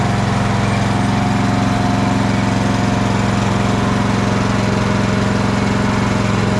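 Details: Craftsman LT1000 riding mower after replacing the blade deck belt: the small single-cylinder engine thumps along at a steady idle, even and smooth, with no misses, knocks or belt squeal.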